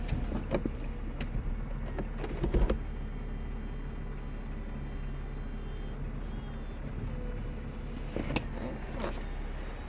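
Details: 2003 Mercedes CLK 240 (W209) convertible soft top, after fault repair found via live data: low steady pump hum with sharp clicks as top unlatches and moves; roof mechanism working normally.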